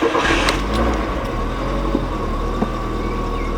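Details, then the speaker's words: Green Mk3 VW Golf ("Gracey"), not run for about a week, after fixing the earlier smoking and belt snapping/shredding. It starts right up and settles into a smooth, steady idle with no belt squeal or chirp: a healthy start. "all right, right up, no problems. Looks to be good. Gonna let her run for 10-15 minutes, just make sure everything is good to go."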